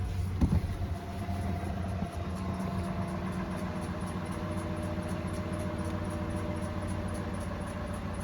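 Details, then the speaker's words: 2007 Cadillac DTS after secondary air (smog) system service, cold start warming up: smooth idle with a thin steady whistle that slowly eases off; normal secondary air pump whistle. "It was just running. It makes a whistling noise. That's how you know it's working."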